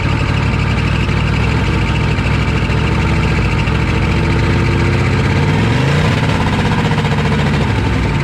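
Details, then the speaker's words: 1986 Chevy 1-ton dually with a 6.2 Detroit diesel, first start after 22 years in the woods, on jumper cables with white smoke: a rough, clattery run whose speed climbs at the end; idle running away high. "I'm not sure I actually shut it off because of the high idle it just started idling really high like it was going to run away"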